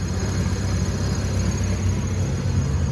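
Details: Honda Civic after idle fix (PCV valve removed, throttle-body idle screw adjusted): low smooth even idle holding about 1000 rpm with no hunting or surging; healthy idle.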